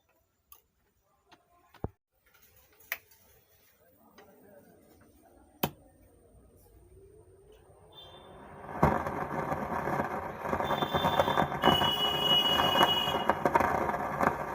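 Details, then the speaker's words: STRANGER PBT701 speaker: sharp, uneven ticks about twice a second, then a rising hiss, caused by a faulty resistor on the amplifier board. The noise persisted after a direct connection; the resistor is to be replaced. "इसी तरह register खराब होने से ऐसा आवाज होता है"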